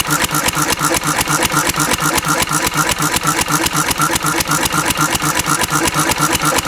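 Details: Antique Cushman Cub 3hp four-stroke throttle-governed stationary engine running on about 90% Zippo lighter fluid: steady single-cylinder thump at about two beats a second, even with no misses; normal governed running.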